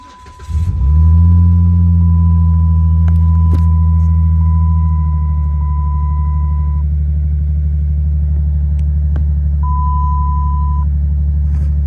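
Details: 2007 Dodge Magnum 3.5 V6 petrol cranks, catches quickly and settles into a smooth, even idle after replacing a cracked spark plug that caused a cold-start cylinder 3 misfire (P0303).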